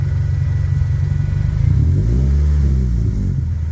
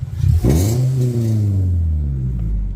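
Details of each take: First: 1998 Toyota Celica GT ST202 after exhaust leak clamp repair: revs rise and fall smoothly with a clean deep exhaust note, no puffing or ticking at the joint; exhaust sealed. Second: 1998 Toyota Celica GT ST202: fine at light throttle, but a throttle blip brings a harsh, raspy bark before revs settle to idle; an exhaust leak, suspected at the midship slip joint.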